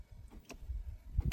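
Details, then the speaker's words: RDB Delta Chinese electric scooter hub motor during repair, hall sensor signal wires being swapped: low uneven shuddering thumps and sharp clicks as motor jerks, trying to go backwards; wrong hall sensor wiring order. "it's trying to go, but backwards. Okay, that's a sign, that's something."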